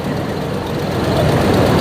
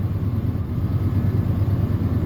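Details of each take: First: 1996 Ford F250 light duty, after replacing a wrongly fitted ignition control module causing P1351 and a severe misfire: idles with a steady even low rumble, no stumbles, misfire gone. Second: 1996 Ford F250 V8 at idle, 326,000 miles, roughly stumbling with a severe misfire that worsens under load; code P1351 traced to an incorrect ignition control module.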